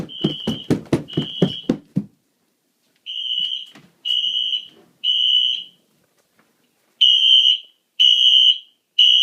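Loud high beeping in repeated bursts about a second long with short gaps: the fire alarm horns are sounding in full alarm.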